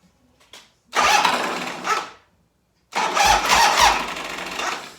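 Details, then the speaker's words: 1985 Harley FXRS Evo V-twin with untouched carb, on reserve, choke on, in neutral: two short, laboured starter bursts and it never fires; battery is dead and the battery cable is old and worn. "battery's dead [Music] shhh this battery cable is getting pretty worn out this is old"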